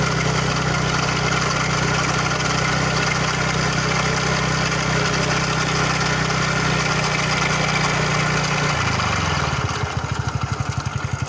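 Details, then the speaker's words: TVS Ntorq 125 XT (BS6) scooter making an abnormal noise when throttle is given: a loud, coarse droning roar under throttle that drops into rapid loose pulsing as revs fall. Cause unclear. "Enter XT का देखिए बहुत बड़ा problem हो गया यार। देखिए मैं जब मैं इसका ना टोटल देता हूँ तो इसे आवाज़ देता है।"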